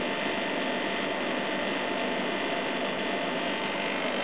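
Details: A/C unit on its proper run after its compressor sat for oil (sounded oil-filled on an earlier try): steady even whoosh of fan and compressor with faint hum, head pressure building, no knocks or rattles; running normally.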